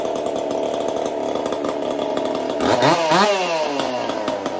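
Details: Chainsaw fitted with a 372 carburetor, repaired ball-bearing detent and a copper-wire choke, test run after repair: steady crisp high idle, then a clean quick rev up and back down with no stumble; runs right.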